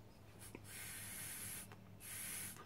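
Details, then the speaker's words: Brake booster vacuum supply one-way check valve, removed and tested: two steady bursts of airy hiss as air flows through the valve toward the intake manifold; valve passing air correctly. "you hear the hissing noise. That's great. That means we've got airflow from here going in through the valve and out through the output here, and that's what heads off down to the intake manifold and gets burnt as air by the engine."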